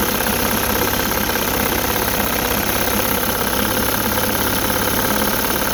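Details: 1960 Evinrude Fisherman 5.5 hp two-stroke outboard, rebuilt, first start in test tank, warming up while idle is dialed in: busy, crackling idle holding even speed without surging or dying, pumping lots of water; normal idle.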